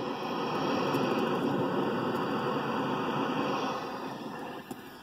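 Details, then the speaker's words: Accutrak ultrasonic leak detector held near a cracked refrigerant jug: a steady, even hiss, heard just like a leak and shown on the LED, that fades as the probe passes away from the crack; refrigerant escaping. "only are you visually seeing that on the LED but you hear it just like you're hearing a leak"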